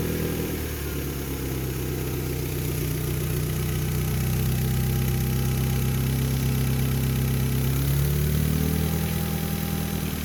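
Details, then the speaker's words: Mitsubishi car with a split vacuum hose between fuel pressure regulator and intake manifold, before repair: uneven, lumpy idle wavering about four pulses a second with a sagging rev dip; lost manifold vacuum stops regulator adjusting fuel pressure, over-fueling and running rough. "Al romperse esta manguera, el vacío del colector falla y el regulador no puede ajustar la presión de combustible suministrando excesiva cantidad de combustible al motor que funcionará mal, con dificultades para arrancar."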